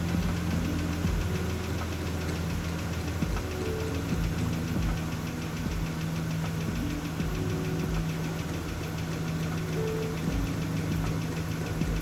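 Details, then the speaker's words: Steady idle with light, quick ticking right after a cold start, which later went away while warming up; owner suspects oil pump not working right, cause not confirmed. "So you can hear there's a ticking sound. That could be two things. One is maybe my oil pump is not working right, but now it's gone."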